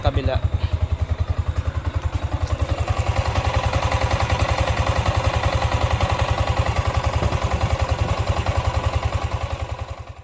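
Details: Yamaha Sniper 155 VVA motorcycle, seven months old, at idle. A steady, even low-thumping single-cylinder idle with no knocks or ticks.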